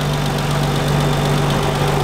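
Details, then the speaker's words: Nissan 300ZX after an engine reseal: steady low idle with a faint irregular pulse in the exhaust beat, slightly lumpy ("picky"); owner thinks it needs a little more adjustment, cause unconfirmed. "I think it'll need a little bit more sounds a little picky"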